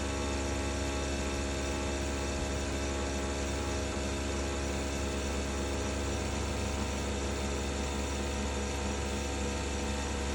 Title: Bosch BOVB-36HDN1-M20G Heat Pump Grinding Noise